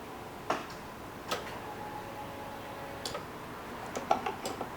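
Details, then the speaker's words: 1990 Jeep Cherokee XJ with a fuel-related no-start: with the key cycled to on, sharp isolated relay clicks are heard with no fuel pump hum following, using a replacement battery reading 12.6 V. "nothing coming out over here um I hear the relay clicking you went all the way to the second one right"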